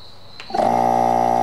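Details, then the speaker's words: Opened, unsealed GM hermetic compressor running with mineral oil visibly sloshing inside: a thump at start, then a steady, even hum with a clear tone; it runs normally. "you can see down in there it's a mineral right there as you can hear it's sloshing it around pretty good"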